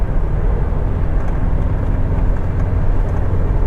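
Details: Isuzu MU-7 with suspected cracked driveshaft U-joint, driven at about 110 km/h: steady low road roar at highway speed with no rhythmic thump, drone or shudder; driveline sounds smooth at speed.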